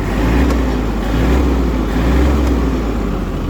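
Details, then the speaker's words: Kubota GL21 four-wheel-drive Japanese mini tractor, small diesel: engine picks up revs cleanly and holds them with an even, quiet, smooth beat, no knocks or rattles; normal healthy engine revving. "Отлично набирает обороты. Отлично их держит, работает ровно, тихо, без нареканий."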